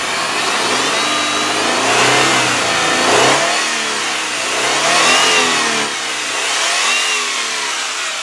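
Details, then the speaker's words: 1999 Mitsubishi Montero Sport XLS V6, 160,830 miles, no check engine light, slight oil smell from sitting: revving climbs and falls smoothly with clean, even pitch and no knock, valve-train tapping or squeal. Normal revving. "Well, I don't know about you, but I think that sounds great. There's no high rev knock. There's absolutely no valve train noise, no squealing, no squeaking, no crazy sounds."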